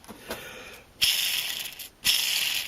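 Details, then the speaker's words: 2002 Craftsman air compressor 919.167310, owner guesses about 2,000 hours: connecting-rod bearing on the crankshaft eccentric, spun by hand, gives a dry gritty metallic rattle like a roller-skate wheel. Bearing is rough and to be replaced. "sounds like a metal roller skate so that one's got to go definitely gotta change that because uh just be a matter of time and that one will grenade next"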